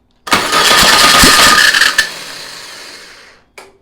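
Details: VW Beetle engine sitting two years, on a start stand with a new control box: clattering turnover that fades without catching, then a lone clunk; it ran out of fuel when throttled up again.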